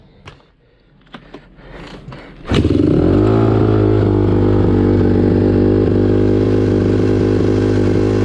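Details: 2009 Honda CRF150R four-stroke, no-start after sitting, after carb cleaning (clogged pilot jet, stuck-closed float needle); fires first try, steady even single-cylinder thump, no stumble or misfire: normal idle.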